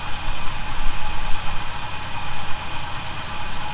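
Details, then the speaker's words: 1971 Chevy C10 idling after a cold start, with fasteners tightened for a suspected vacuum leak: deep, steady idle with no whistle or hiss from the carb base. Runs smooth and sealed. "may be all that was we'll have to uh keep an eye on that as we do some other things and make sure i don't hear the noise i definitely do not hear it right now"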